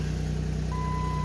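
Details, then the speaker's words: 2006 Jeep Grand Cherokee, 181,000 miles, after new exhaust and brake work, check engine light on: even steady idle with low smooth throb, no knocks or ticks, plus steady electronic chime; normal quiet idle. "See how quiet it is now. Oh yeah, sounds sweet. Heck yeah."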